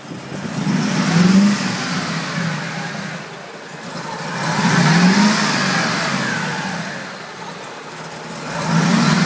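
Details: 2003 Mercedes G55 with Kleemann supercharger, first start: V8 revved in slow swells, running rough with bad idle, misfiring from improperly installed fuel delivery and vacuum lines to the MAP sensor and switchover valve.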